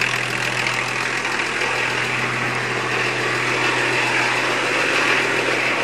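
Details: 1981 Datsun/Nissan Maxima wagon, 2.8 L diesel, automatic, revived with a new injection pump timing belt, run briefly without the water pump belt: a steady, even diesel clatter with a smooth low drone and no misses or knocks, a healthy idle.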